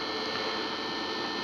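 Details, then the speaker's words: Two HP ESP135 DPS-600PB power supplies wired in series, after quiet-fan mod (pin 4 grounded to pin 8, fans at minimum speed, thermal speed-up retained): smooth steady fan hush with faint even hum, no rattle or surging, much quieter than before. "both units have had pin 4 grounded to pin 8 which puts the fans at minimum speed and so just plug it in you can hear the difference as you can hear they're a lot quieter you don't have to shout to hear yourself over them"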